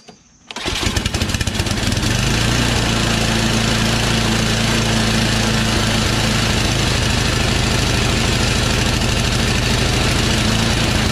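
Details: Yard Machines Tecumseh 8 HP snowblower: engine runs unevenly, speed rising and falling; old fuel likely left over summer, no priming, carburetor believed clogged and fuel-starved; carburetor 632334A replacement.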